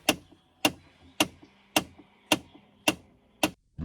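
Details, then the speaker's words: Chevrolet Trailblazer with the HVAC just started: sharp, regular clicks about twice a second from the dash as a blend door actuator, reset by a battery disconnect, needs recalibration. "HVAC is hvacing in there it's got the little flapper door accelerometer doodads and when you unhook the battery it kind of resets all that stuff and you're supposed to recalibrate it"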